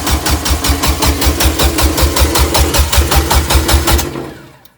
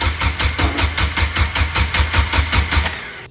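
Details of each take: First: Turbo Suzuki Forenza after new turbo, header and stage one clutch, fuel pump fuse pulled to prime: even starter rhythm about five beats a second for four seconds with no firing; normal cranking without start. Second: Turbo Suzuki Forenza, first start attempt after the turbo setup, fuel pump fuse pulled earlier to prime: even rapid cranking around three beats a second that never catches, because the fuel line was full of air; possibly old fuel too.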